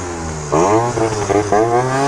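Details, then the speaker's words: Piaggio Typhoon two-stroke scooter after a carburetor upgrade and leaned-out idle, climbing a hill: revs climb, then sag and stutter under load and never clear. It is running rich; owner suggests lighter rollers and a stiffer contra spring. "Yeah, she's running rich right now. I think we can lighten up the rollers and probably a stiffer contra, I'm not gonna lie."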